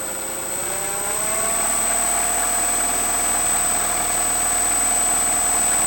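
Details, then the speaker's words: Freewing 4258 580kv brushless motor (P51D Mustang 1450mm) run up after replacing main bearings with 5x11x5 bearings; clean whine climbing smoothly then steady, less noise and vibration, healthy. "There's less noise and there's less vibration to the front."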